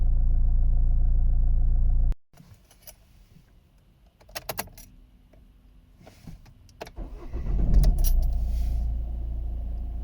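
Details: Vauxhall/Opel Astra J 1.7 CDTI diesel after fuel pressure regulator cleaning (temporary idle fix): holds a steady low idle, shuts off, restarts and settles back into an even, smooth idle; normal idle.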